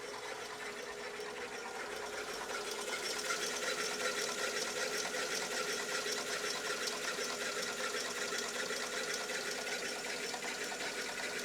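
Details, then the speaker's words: 2000 Mercedes E320 at start-up during idler pulley replacement: light, fast, fairly even chatter with a hissy edge over a quiet idle right after start, noise seems to fade; source undetermined. "What is that noise? There's an initial noise. The noise seems to be going away."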